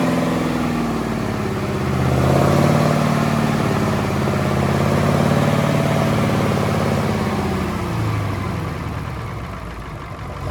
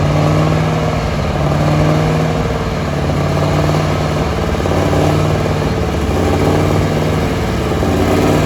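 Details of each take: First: Allis-Chalmers AC 440 tractor diesel after the faulty fuel pump was replaced with the pump from a 555. Smooth, even idle with no hunting; it picks up briefly on throttle and settles back cleanly. The loping is cured. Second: Allis-Chalmers AC 440 tractor diesel working with the loader bucket. Uneven, surging lope and rough sputter instead of a steady beat, with no black smoke. Owners suspect the fuel pump or injector.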